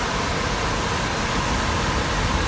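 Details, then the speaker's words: 23-year-old pool dehumidifier with 3D-printed fan barrels fitted, side cover off: steady rush of air over a constant low hum, no rattle, scrape or ticking; fan blowing strongly, running fine. "So I'm happy with this fan is working, which it seems to be blowing a bit of a gale there at the moment."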